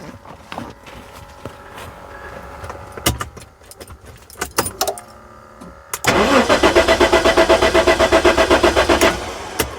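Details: 1994 Jaguar XJ6 stored several months, towed in as a no-start, during EMS relay voltage checks: starter cranks steadily at about four beats per second but the engine never catches; crank, no start.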